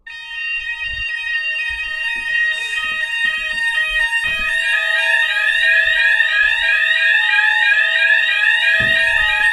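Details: EMS fire alarm sounder heard behind a closed bathroom door during system test: steady repeating two-tone electronic alarm pulsing about three times a second; sounder working normally.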